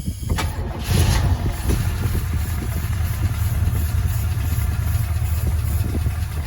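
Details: Early-70s four-door Chevy Nova, 307ci small-block V8 with rebuilt 2-barrel Rochester, long-tube headers and Cherry Bomb glasspacks, first start after sitting 34 years, new plugs and fluids. It catches right away into a deep, lumpy, steady burble with 50 psi oil pressure: normal idle.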